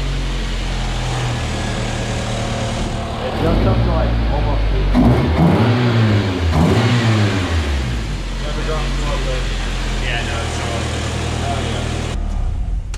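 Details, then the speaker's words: Nissan KA24DE engine swapped back in place of SR20DET, first start at 42 psi fuel pressure, no radiator or coolant yet: short bark, then steady even running with clean blips; sounds healthy. "obviously it runs it sounds good we just finished bleeding the clutch"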